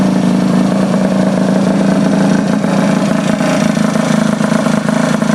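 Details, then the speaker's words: Honda Elite 50 two-stroke scooter just fitted with a Taida radiator, with air still in the cooling system: a small buzzing idle with a ragged, unsteady beat. Uneven idle, cause suspected, not confirmed. "it should be idling about 150 but when you first start them up they always have air bubbles in them"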